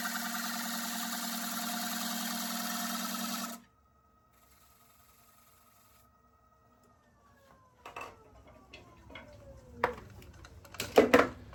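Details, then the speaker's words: Woodturning lathe cutting a black acacia bowl with a quarter-inch wall: a harsh, buzzing cut with a stacked ringing tone as the tool starts to chatter, then the lathe spins down. "You can hear it starting to chatter. Yep. You can kind of see it in the grain, but it's a Oh, it's a quarter of an inch still."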